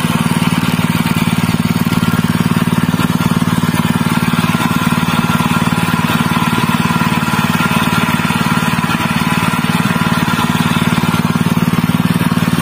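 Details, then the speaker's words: General CX160 5.5 HP engine, fairly new, that had black spark plug and died quickly, after fitting a new spark plug: steady even low thrum at constant speed, no misses or surging; running normally again, even at higher throttle. "दोस्तों, यह परिणाम है, अल्हम्दुलिल्लाह, यह बड़ी गैस पर बहुत अधिक प्रयास नहीं है, यह फिर से सामान्य है, मेरे दोस्तों"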